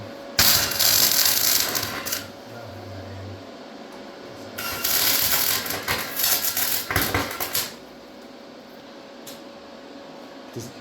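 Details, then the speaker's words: MIG tack-welding V8 side mounts to the frame, setting too high: harsh, crackling spatter in short bursts rather than a smooth sizzle; welder too hot, needs turning down. "Does that sound like a good weld? Is this on? The bubble Yeah. on? Okay. It didn't sound like one."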